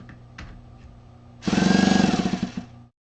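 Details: Tmax 2.5 model engine cranked without glow plug after replacing the roller clutch: short starter spin with fast rattling chatter and rough, uneven whir; bad cranking noise that appeared after the new roller clutch, cause unknown.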